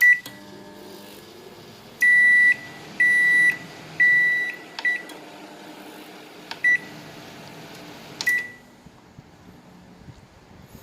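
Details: Low, even hum with a few keypad beeps and no whine or rattle from a Samsung microwave after repair of the noisy magnetron cooling fan; it now runs quietly and heats normally.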